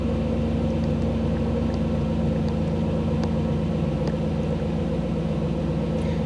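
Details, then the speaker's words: 1985 Camaro IROC-Z TPI with rebuilt engine, cold start in open loop: a smooth, slightly raised idle with a steady low rumble and higher airflow, a normal cold fast idle that soon drops into closed loop. "the engine's uh engine's cold so things are are set up a little bit High I set up a little bit High um air flow and such are a little higher than normal"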